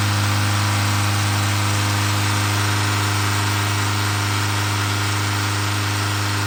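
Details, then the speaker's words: Tata 2.2 diesel, 150 hp, after engine overhaul (crankshaft, bearings, oil pump, timing belt) and injector coding: idles with a steady, even low rumble, no knocks, misses or hunting. "อ่าเรียบร้อยฮะเครื่องเดินนิ่งละอ่า"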